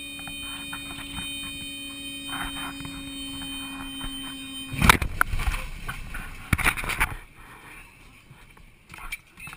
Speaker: That's a stall warning horn. It says your plane is about to stall.